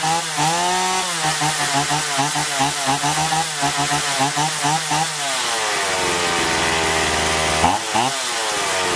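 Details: Chainsaw after carburettor cleaning (had surged and lost power even unloaded), both L and H screws set fully in then out 1.5 turns: screams up and settles cleanly biting wood, pitch holding under load, no bogging or stumbling.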